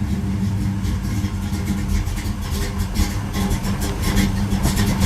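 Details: 1973 Camaro Z28 V8, cold after sitting, running without choke: low rumble that wavers and surges unevenly, almost idling by itself but not quite; temperature gauge still at zero, engine not warmed up yet.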